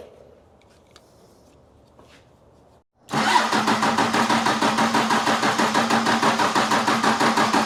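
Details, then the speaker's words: 1995 Dodge with 12-valve Cummins diesel, injection pump refitted after being left off, after a bad battery connection was tightened. Steady cranking at about three compressions a second with no cylinders catching; fuel has not reached the injectors yet. "Well, at least now if we're up here, we can see if it starts getting fuel. Not yet."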